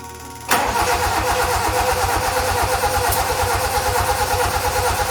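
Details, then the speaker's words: Toyota Corolla KE55 with 4K-C engine, first start attempt, choke on, in neutral, fuel pump running: steady, even cranking for seconds with no catch at all. Crank no start. "all right not firing not a problem i might also disconnect the fuel line and make sure fuel is actually getting up through this pump to the fuel line"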